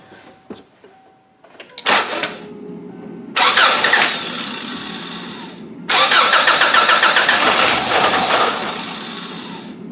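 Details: 2002 Subaru Outback: two long cranking bursts with a fast, even churn, but the engine never catches. It earlier sounded like it wanted to start, so ignition is likely okay. A fuel pump or fuel delivery problem is suspected, and starting spray is being tried in the air intake.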